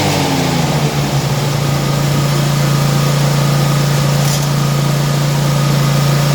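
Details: 2018 Gravely ProTurn Z 60-inch mower with PTO/blades engaged: steady engine drone with a low rattle about three or four a second as the deck belt shakes and vibrates; the dealer found nothing wrong, cause unclear.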